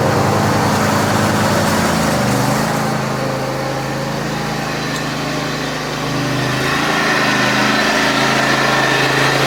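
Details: John Deere X540 mower that came in crank-no-start with no spark, idle about a year; both coils found dead, failed module swapped. Now steady, even buzzing run holding speed without sputtering or cutting out: normal running after repair.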